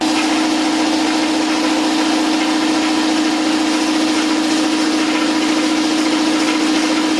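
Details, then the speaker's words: New Campbell Hausfeld 20-gallon twin-cylinder air compressor during break-in, regulator off, tank building toward 50 psi: steady even pumping drone with constant hum, no knocks or rattles; relatively quiet, normal running. "relatively quiet i've got the regulator turned off so it's just building up treasure it's almost at 50"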